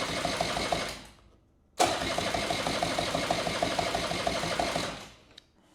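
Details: 1984 Honda Spree scooter, sitting unused for years, cranked with only a smidge of gas in the tank: rapid, uneven starter cranking at about three beats a second with no firing; it turns over but won't start, seemingly fuel not reaching the engine.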